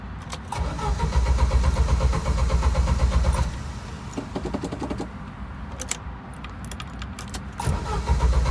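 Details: Original Jeep YJ that keeps dying while driving, with a rich gas smell and intermittent clicking: starter churns steadily at about four beats a second in repeated attempts, but the engine never catches. Cause not found.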